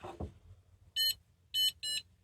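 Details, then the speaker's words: Homemade paragliding vario (Arduino Nano clone, BMP280 sensor, piezo buzzer): three short, shrill beeps in quick succession, the climb signal when it goes up. "it beeps at you."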